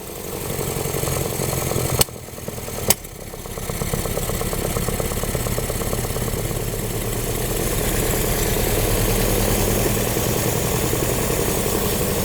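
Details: 1955 Hudson Metropolitan first start after 28 years stored, fogger used, fuel pump possibly still priming: catches and settles into an uneven, lumpy idle with a fast irregular pulse; sounds fuel-starved while it picks up. Cause suspected, not confirmed.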